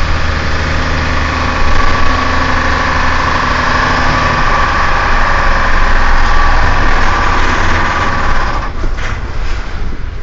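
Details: Iveco 370S.12.L25 Menarini COTRAL bus no. 8755 on the Roma Tiburtina–Palombara Sabina route: heavy diesel drones steadily, then in the final seconds the note collapses into a ragged, failing rumble as the engine blows; engine failure.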